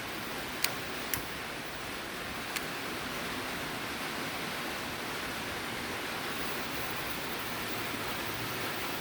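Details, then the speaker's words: Coleman liquid-fuel camp stove after a fuel tank pump repair, pumped about 30 times and burner lit. Steady, even hiss with a couple of light clicks at the start: normal pressurised burner operation. "so you let it burn a little bit till that igniter starts then you should get a nice blue flame"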